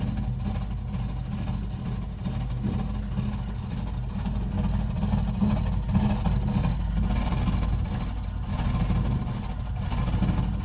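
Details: 3-year-old gas-fired Burnham Alpine ALP150W boiler running, frequently making a low uneven rumble like a distant engine, swelling and fading with no steady beat; abnormal rumbling, cause unknown.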